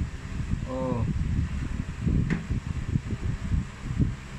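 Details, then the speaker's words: Standard orbit fan (school unit), fully cleaned with capacitor already replaced, on test: low, even whir with steady hum and no knocking, rubbing or wobble; fan runs normally. "Oh testing Pinalitan ko na agad yung capacitor Kasi madilim na Okay ready number one Ayos na agad two"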